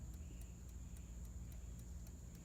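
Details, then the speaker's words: 1954 Chevrolet 210 dash clock, never previously working, heard during rewiring after the dash wiring burned: faint, crisp ticks about three to four per second over a quiet low rumble; clock now ticking normally. "Gang, that ticking, it appears to be the clock. I don't even know what to say about that."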